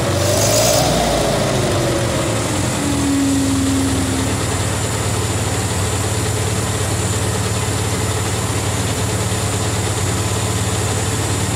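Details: 1950 Towmotor LT40 forklift, Continental flathead four: slow, soft idle with a breathy, uneven chuff and a brief whistle early on; the owner thinks it is wheezy from low compression and probably somewhat worn, and the muffler may be loose.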